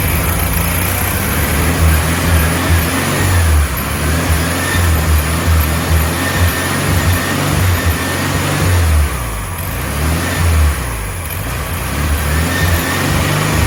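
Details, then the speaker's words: 1967 VW Beetle air-cooled engine just started after refitting carburetor and fuel pump: even, steady low thrum with no misses or knocks as it settles off throttle. There is lots of debris in the exhaust, but the engine sounds really good; normal running. "A lot of debris inside that exhaust system, but the engine itself actually sounds really, really good."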